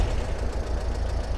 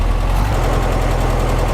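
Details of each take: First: 1955 Porsche 356 Pre-A Speedster with Zenith carburetors at a low, lumpy idle with irregular stumbles on a shakedown drive; sounds like a cylinder dropping out, owner checks spark plug wires then carburetors; cause unconfirmed. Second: 1955 Porsche 356 Pre-A Speedster, stone cold, at a steady, even idle on both freshly installed Zenith carburetors without air cleaners; hitting on all four cylinders, smooth, no misses or knocks, no carb leaks; initial setup before warm retune.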